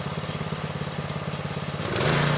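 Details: Vintage Manco Streaker mini bike, repowered with a Predator 212 6.5 hp engine, unrun for a few years; drive disconnected, engine-only test while setting idle and throttle. Small single putters with an even, steady beat, then picks up smoothly to a higher steady speed; runs well.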